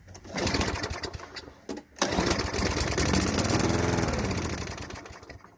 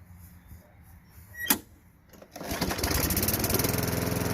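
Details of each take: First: Craftsman push mower, Tecumseh 5.5 engine after sitting 10 years, plugged bowl-nut main jet, leaking bowl gasket. On starter fluid it catches and revs unevenly a few seconds, then fades. Fuel starvation from the plugged jet. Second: Craftsman 5.5 Tecumseh push mower after clearing the plugged carburetor bowl nut jet and brake cable kill-switch fix: quiet clicks, then the engine catches and settles into a steady, even putter, running normally.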